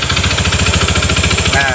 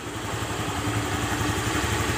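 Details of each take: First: Honda BeAT FI scooter at idle with a noisy starter: loud, hard knocking about twelve blows a second, locked to the idle beat. Origin unsure, CVT or engine; it sounds like a loose piston. The belt was recently replaced. Finding: connecting rod knock. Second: Honda Beat FI scooter after repair for a rough knocking engine caused by a worn connecting rod and scored piston, rebuilt with a new 0.50 oversize piston: steady, even low putter at idle with the knocking gone.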